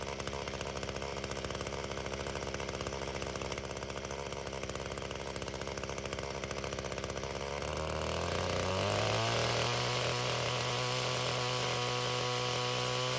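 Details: Echo GT-225 two-stroke string trimmer, cold, after a fuel system rebuild (the cracked fuel bulb had caused a vacuum leak). Idle climbs when throttled, then sags and stumbles, choking out at higher RPM. Carburetor setting suspected, not confirmed.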